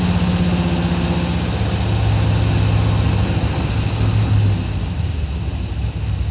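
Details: 1984 Chevy Silverado V8 with a slight miss, timing being adjusted: low lumpy idle surging and sagging unevenly with a backfire; rough idle, believed to relate to ignition timing.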